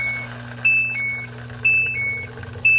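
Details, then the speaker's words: Samsung front-loading washer with ND (no drain) error: a new 120 V drain pump, under a week old, forced on by a manual switch gives a steady low hum under the machine's beeps and drains very fast; pump sounds healthy and works normally. "Now, it looks to me like the pump is doing everything it should. It's draining that super fast."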